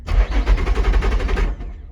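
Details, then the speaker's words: Salvage-auction car, supposedly supercharged, push-button start: starter spins the engine over rapidly and evenly for about 1.5 s but it never catches; sounds healthy otherwise. Crank-no-start, cause unconfirmed (suspected crash fuel shut-off or something else). "Dang, spinning over but not starting. Most likely it's got a fuel shut off or something like that, just in case it gets in an accident. There's probably something else going on, but it sounds very healthy."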